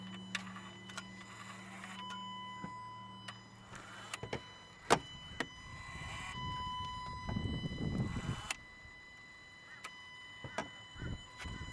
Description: after you turn the key from on to off, there is a 20 second buzzing noise coming from the ACTUATOR-SWIRL CONTROL...